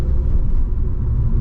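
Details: L67 3.8L supercharged V6 with M90, stock 5 psi boost, 4L60E automatic, cruising: deep, even low exhaust drone with no knocks or rattles on top, some road noise; a healthy sound.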